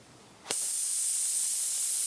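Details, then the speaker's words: CNC machine total-loss way lube system: compressed air blown through a one-way restrictor flipped 180 degrees gives a sudden sharp, steady whistling hiss, confirming the part flows one way only. "you can hear that air is coming out and whistling so indeed this part has a one-way well"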